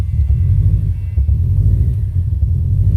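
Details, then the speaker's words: Stock, untuned Subaru WRX/STI just started after installing a Tial blow-off valve venting to atmosphere instead of recirculating: low, lumpy idle that wavers and stumbles; rough idle from unmetered air. "oh it does not like it guys sounds like a honda right now oh definitely not liking it absolutely not liking it oh wow this is gonna be a no-go oh yeah it does not like it"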